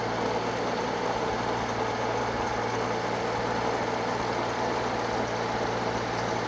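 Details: Circa-1952 Austin 6-cylinder petrol truck just revived after about 20 years standing: steady even idle, smooth low drone, no ticking or misfire; normal idle, owner unsure of a slight miss, hears no burnt valve, found a lead pulled from the distributor cap.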